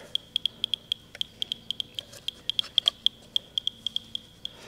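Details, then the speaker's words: Faulty First Alert 9V smoke detector, battery just fitted during teardown: rapid, uneven high-pitched clicking about three to four a second from inside the unit, which was also beeping abnormally; internal fault, cause not yet found. "I hear something clicking in there. Do you hear that?"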